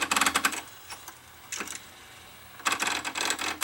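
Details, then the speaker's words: Akai GX747 two-speed reel-to-reel tape deck grinding as soon as powered up: bursts of sharp rapid clattering ticks with quiet gaps, drive gear slipping at the bottom of the motor, the small drive motor/gear appearing loose. "seems like it's slipping on the bottom of the motor. Almost seems like that little motor that drives it is loose."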